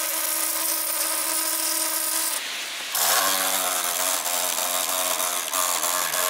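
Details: MSI GP66 Leopard laptop (RTX 3070) after a few weeks of use: harsh high-pitched rasping and squeaking over the whirring fan; right fan suspected faulty, possibly loose blades, not confirmed.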